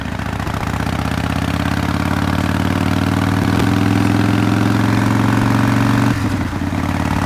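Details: 2005 Harley-Davidson CVO Fat Boy after replacing a stripped clutch hub, the clutch and the bearing, around a test ride around the block; uneven potato-beat V-twin idle at about three firings a second, steady with no rattle or clunk. Healthy idle.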